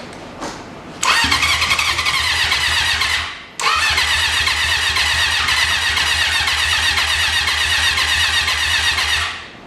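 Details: 1980 Honda CB750 after sitting 35 years, fresh gas added: two long bursts of steady fast starter cranking, about four turns a second, with no firing; cranks but won't start.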